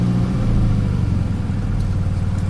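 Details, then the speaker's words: 2005 Toyota Camry, just after an oil change, settles from a brief rev into a shaky, pulsing rough idle with the check engine light on; it dips hard in gear. Throttle body suspected. "just goes right to shaking and you can see right now i have a check engine light on"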